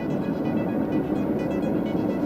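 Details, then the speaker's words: Hyundai Santa Fe driving above 80 km/h with a steady low droning hum filling the cabin; owner unsure which side, tried locating with phone sound meter unsuccessfully: worn wheel bearing hum. "всем привет сегодня хочу определить какой ступичный подшипник меня будет дело в том что когда едешь на особенную на скоростью больше 80 такой приличный давит на уши но салоне распространяется по всему салону"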